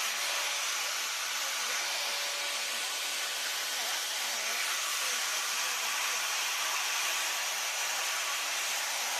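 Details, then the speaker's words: Maktec MT971 4-inch 850 W angle grinder, being repaired for a shorted armature with a blown commutator, runs a smooth, even high-pitched whir with no rattle or grinding; electrics check out normal, running healthy. "โอเคโอเคครับไฟโอเคปกติดีทุกอย่างนะครับ"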